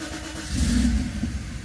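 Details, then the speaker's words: Mercedes R129 SL500 / W124 E420 (which car is unclear) that won't start: engine fires and briefly revs, then sags and dies instead of holding idle. The throttle body doesn't open fully, a faulty electronic throttle module, before swapping in an exchange module. "I can already hear it as a matter of fact because the throttle body uh does not open all the way now watch"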